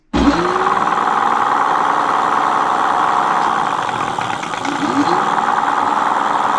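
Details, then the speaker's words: Mate X 20X4 fat tyre e-bike hub motor after being opened and regreased: steady gritty whir with growling gear noise as it spins up and settles; noticeably quieter with more grease, though the motor fault was not fixed. "So as you can see, it is quieter with more grease in it. Maybe that's made me think tomorrow, give it a run a few times and then open it up again and put more grease in and keep doing that. It's made it quite a lot quieter, that, hasn't it?"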